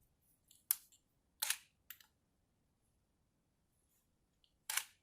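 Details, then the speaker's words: Chinon camera from shipping-container storage, built-in intervalometer timer now working: a few crisp single shutter clicks spaced irregularly a second or more apart in a quiet room, normal timed exposure operation. "Hey, it's got an intervalometer in it. Oh, I'm all turned around about this. I quite like this Chinon, especially now it's working. Listen to that. Click, click, click."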